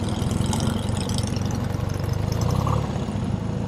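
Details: 1971 BMW R75/5 with a 750 cc air-cooled opposed twin and four-speed gearbox, idling: a low, even loping idle with a soft steady beat and no knocks or rattles; normal idle.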